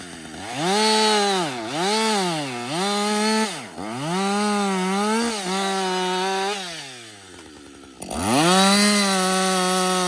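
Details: Husqvarna 562XP chainsaw, reflashed by the dealer after dying when hot, not starting and stumbling; about an hour into running. It screams at full revs, sags as the chain bites, then picks back up cleanly without stalling. It runs normally under load.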